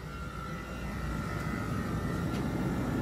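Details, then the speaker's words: 2021 Jeep Wrangler 4xe plug-in hybrid, 300-volt electric AC compressor with blower at speed 1: barely working, cycling on and off, faint whine swelling as it comes back on; louder only under higher demand, normal. "all right so it's barely working now it's on and off you're gonna hear it come up and down up and down"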